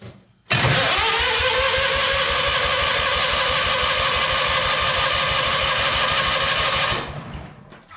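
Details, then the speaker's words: Hobart welder generator engine from a scrap yard, unused for years, on jump box: steady quick cranking for about six seconds with no catch; dry carburettor starving it of fuel, fuel dribbled in next. "uh that's a promising sign we're definitely uh needing a little feel help that's for sure"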